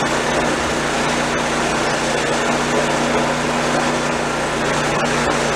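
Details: Old snowblower small engine after drive cable/spring repair, function test: even steady buzz without stumbles, surges or knocks; runs smooth and healthy, only brake needs adjusting.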